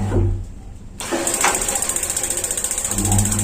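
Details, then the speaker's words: Paloma gas water heater (igniter sparks but no flame) after the solenoid pusher was oiled and reassembled, with water flow on: a hiss, a solenoid click, then about ten steady igniter ticks a second. Normal igniter clicking. "Jadi fungsi solenoida adalah ketika ada aliran air, solenoida akan berbunyi klik, terutama ketika aliran air dimatikan."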